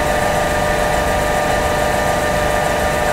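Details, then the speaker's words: LabVolt synchronous motor, started unexcited as an induction motor at 1437 RPM, then with rotor field excitation on it locks in sync at 1500 RPM: a steady, even hum holding speed as load is applied, normal running below breaking torque. "now at cus motor once it's running in sync you'll find that you can load it up and it will maintain the same speed until it reaches a certain breaking"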